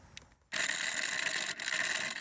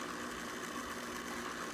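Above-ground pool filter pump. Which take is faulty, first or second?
first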